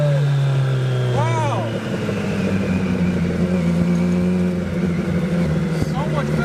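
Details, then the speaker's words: Hayabusa-swapped 1970s electric CitiCar after changing fuel-smelling oil, driving: strong steady drone holding firm under load, pulling smoothly without stumble or miss; normal acceleration. "let's freaking go guys so much nerve so much time went into this thing and to finally see it ripping is just amazing"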